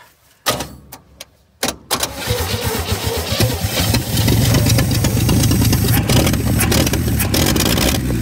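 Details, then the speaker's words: 1967 Chevy C-10 V8 started after sitting an unknown long time, with a little choke: a few cranking bursts, then it catches and settles into a steady, slightly lumpy idle with no odd knocks. "okay well there we go we got it to fire up unbelievable i have no idea how long that thing's been sitting but that didn't take much did it"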